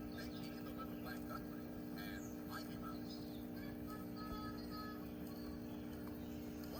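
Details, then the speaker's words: 1964 Montgomery Ward Airline portable record player, amplifier not repaired, playing a record after changer cleaning: steady low buzz under the music from the speaker; speaker buzz from amplifier hum. "You can hear a buzz coming from the speaker."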